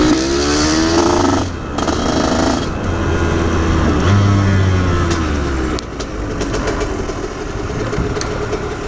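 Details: Aprilia RS50 frame with YZ85 two-stroke engine on stock clutch, springs and jetting, clutch basket ridges shaved: revving drone sags and drops off as load comes on, bogging instead of pulling; cause unconfirmed, owner suspects tuning.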